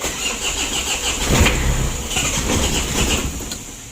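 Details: Mitsubishi L300 diesel being cranked: roughly four beats a second but never catches; hard to start and weak, glow plugs working, previously started only with starter plus a push.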